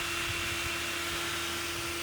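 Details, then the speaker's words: Truck electric radiator fan not switching on at 200-210° gauge temperature, forced on by grounding sensor wire: relay clicks, steady airy rush, even hum, no wobble or rubbing; fan and relay work, temperature sensor suspected faulty. "Relay clicks on. You can actually hear it. Let's see. Yep, relay works. I think the sensor just doesn't work. So, I'll have to work on figuring that out, too. Fan definitely works."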